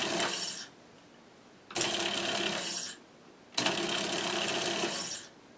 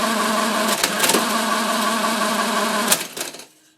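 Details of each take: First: Monroe LA-5 motorized mechanical calculator, powered for the first time, with sparking thought to be the governor. Rough, uneven rattling bursts of about two seconds as the motor drags on something. Suspected, not confirmed; the motor is meant for intermittent duty only. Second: Monroe LA-5 motorized calculator running an automatic division: about three seconds of fast ratcheting clatter, then a clean stop. The cycle completes normally, although the counter register shows a wrong result.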